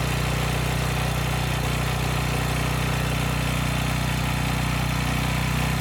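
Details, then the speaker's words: Briggs & Stratton single-cylinder generator engine (Storm Responder) runs at about four beats a second with a hard, loud knock on each beat; owner suspects crankshaft journal, cylinder or wrist pin, thinks engine is probably junk. "and i hope it comes through but this thing's making a lot of noise and i'm kind of in denial but i think it's a bigger issue you know it's it's either the crankshaft journal or the cylinder could be something as simple as the wrist pin"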